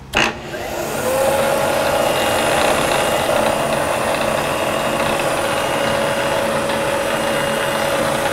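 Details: Variable-speed Bridgeport mill, sitting since November, first power-up in high range with the feed disengaged: spins up to a steady whine with a faint uneven roughness underneath; the head is not running quite smooth before being slowed toward 500 RPM.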